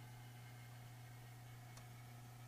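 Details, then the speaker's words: 2003 Dodge Dakota swapped to 2001 ECM, A/C pressure sensor wiring mismatch (two- vs three-wire), adapter fix: steady low hum with faint high tone as compressor keeps working while refrigerant deliberately leaks from Schrader valve being removed. "i'm introducing a leak right now and you can hear the compressor vacuum pump just working away"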